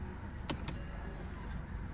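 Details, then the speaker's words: 2016 Honda Civic electric parking brake after replacing the faulty parking brake switch (code C1120-14): a quiet, brief motor whir ending in firm clicks as the brake engages normally and holds the car. "parking brake engaged. That's good."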